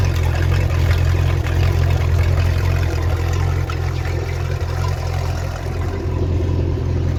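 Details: Mercruiser Alpha One Gen II sterndrive on a test run after impeller replacement: steady low engine drone with an even beat, no knocks or grinding over about seven seconds; runs smooth and healthy, normal.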